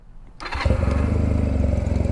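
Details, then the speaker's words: Honda Rebel with an exhaust the previous owner cut: warm start, firing first try and settling into a loud, even, deep thump through the open exhaust. A normal warm start. "It actually starts fairly well because it's warm, but everything works."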